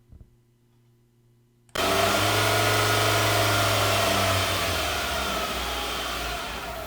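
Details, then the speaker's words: 2016 Nissan Altima, about 60,000 miles, shakes when accelerating: steady transmission whine over a low droning shudder under acceleration; code P17F0 CVT judder, dirty fluid with grey metallic tint, suspected internal CVT belt slippage; transmission replacement recommended. "You can hear in this video that the vibration and the excessive whining noise coming from the transmission."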